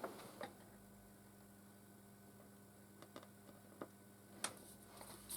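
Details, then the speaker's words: Late-1960s/early-1970s Hacker Gondolier GP42 valve record player amplifier on reduced mains power, volume full up, capacitors being reformed after long storage: only a faint steady low hum and a few quiet clicks; very weak output with mains hum. "okay so i've got sound it's not very loud but i have definitely got sound"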